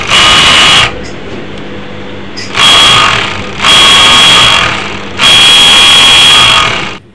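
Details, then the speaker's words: Overlock sewing machine running in loud, harsh high-pitched bursts despite oil showing and circulating; excessive running noise traced to a loose, worn upper looper holder bush. "Overlock machine চালালে অতিরিক্ত শব্দ করে, কিভাবে সমাধান করবেন?"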